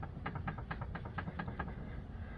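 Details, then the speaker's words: 2014 Honda CRV rear sway bar link, heard from underneath while checking bobbling noise over bumps: light quick clunks about every quarter second; suspected loose or worn left rear link, other side quiet, rear shocks not the cause. "yeah not sure if it's just not tighten enough or if it needs a new piece but I'm going to I'm going to say that is the noise"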